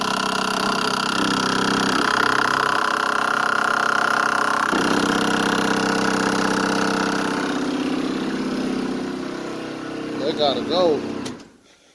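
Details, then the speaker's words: Chevrolet El Camino being cranked over without starting: steady drone with a loud metallic rattle, owner suspects metal parts touching and may add rubber between them; exact part unclear. "i'm gonna just turn it over i ain't even gonna start i'm gonna just turn it over you're gonna hear the the the loud noise i hate it"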